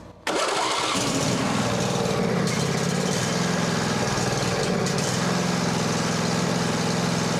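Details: Craftsman lawn tractor, 22 hp Briggs & Stratton V-twin, on booster pack after fixing pump pulse line, some choke and throttle: cranks and catches almost at once, steady even run, no misses; fixed.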